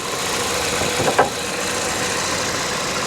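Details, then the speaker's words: Salvage-auction car idling after starting on its own: soft, even purr with no ticking or knocking apart from one brief bump. Normal quiet idle; coolant present and no leaks seen. "she's quiet listen to this very quiet fired right up on her own didn't need any help for me"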